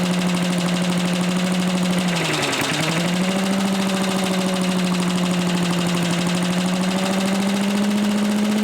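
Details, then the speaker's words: Old Lindell Litter Gitter yard vacuum's small engine, after new carb gasket and a carburetor adjustment: steady, even drone sags briefly in speed, then recovers and holds smoothly; running properly and moving lots of air. "So, it runs well enough or at least seems too. I'm going to adjust the carburetor a little bit."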